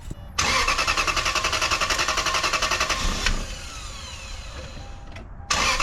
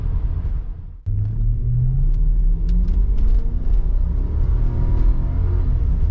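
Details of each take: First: 1995 Lexus LS400, 160,000 miles, after intake manifold removal and fuel injector and seal replacement: engine catches and settles into an uneven, stumbling idle with a lumpy pulse; intermittent misfire persists, later solved by replacing the ECU. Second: 1995 Lexus LS400, 160,000 miles, warm engine after ECU replacement, accelerating hard on the road above 5000 rpm: strong, smooth climb in engine pitch with no stumbles; intermittent misfire solved, pulling strong.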